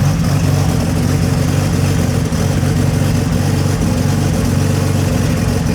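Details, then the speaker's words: 2700+hp VL drag race car idling, timing stable at 32, throttle position fine: loud lumpy idle that surges as the idle control grabs the revs, then drifts back down as the integral winds it back; idle hunting. "You can hear the idle control grab it like it kicks. It needs, like, you can hear the integral start winding it back down, but I think it's fun."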